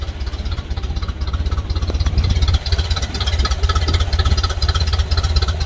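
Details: Ford Model A off the road 65 years, first start after finding a dead coil and a wiring mistake, slightly choked: slow even thumping idle around two beats a second with no knocks or misses.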